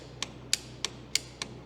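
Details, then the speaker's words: 1952 Caterpillar D4 dozer sitting over 10 years, jump pack wired directly to solenoid: sharp solenoid clicks, fewer than button presses, starter never turns; solenoid hanging up or corroded, starter band missing. "Well, the solenoid, it was working a little bit. You can hear it clicking, but I'm hitting it about twice as many times as it's clicking, so the solenoid is hanging up or corroded."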